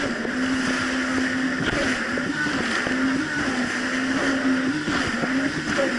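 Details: 2007 Yamaha VX Cruiser jet ski on choppy Lake Michigan after new spark plugs replaced mis-gapped old plugs: steady drone holding even pitch over water and wind, no hunting or dropouts in revs; pulls smoothly without surging.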